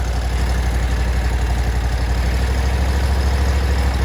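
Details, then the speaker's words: Exmark Radius mower engine after carburetor cleaning, stuck spring on bottom needle freed: steady, low, even thrum with no misses or surges; smooth normal idle, though idle seems low. "But that spring being stuck was definitely it. Listen to this baby purr, boy."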